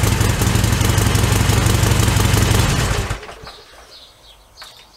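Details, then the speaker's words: Harley-Davidson Sportster XL1200R cold start next day after ZX1 Extralube and a ride, battery fully charged: loud uneven V-twin thumping about three beats a second, briefly, then dies away; stuttering unchanged by the additive. "Right, well, I reckon that sounds exactly the same."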